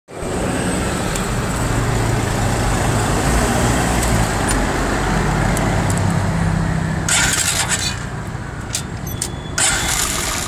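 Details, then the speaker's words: A single-cylinder motorcycle engine on a cold first start knocks loudly and metallically, and the noise goes away once warm. Carbon buildup in the head is hitting the piston. "Yung kapagka malamig ang makina sa unang andar mga bossing ay maingay na parang akala mo ay may nagtatagukto kang mga bakal."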